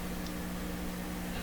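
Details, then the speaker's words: Signal tracer connected while fixing a Westinghouse 981X shortwave receiver with weak output. Steady low hum with a higher tone above it, unchanging; the tracer's own inherent hum, not from the radio. "So you can probably hear a hum in here right now. It's coming out of the signal tracer. I can't get rid of it. Apparently these things have inherent hums in them."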